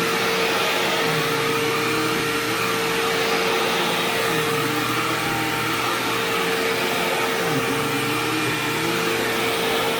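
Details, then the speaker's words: Sharp Twin Energy vacuum cleaner, newly acquired, vacuuming living room: steady motor roar with thin constant high-pitched squeal on top, which faded after running a while and returned slightly after shutoff; cause unknown. "Now, granted, this is a high-pitched whining noise, so my earplugs are probably not going to filter it out."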